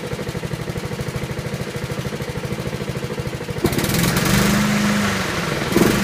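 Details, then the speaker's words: Honda HRT216 mower, stored outside since end of February with no fuel, just refuelled and cold-started: even low idle putter with idle screw fully down, its lowest and smoothest ever, then a smooth rise as the throttle opens. "wow I have the idle on the ID on down the nothing so it's the lowest I've ever got this you"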